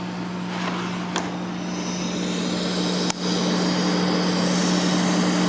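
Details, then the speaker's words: Califone 3670AV-1 classroom listening center at full volume: a steady 60 Hz mains buzz under constant hiss at the output. The hiss goes away with the tone control on low but the buzz stays; owner thinks it needs a belt and possibly capacitors. "There's a 60 Hz buzzing and a lot of hissing. I can make the hiss go away by turning to control to low. The buzz stays there."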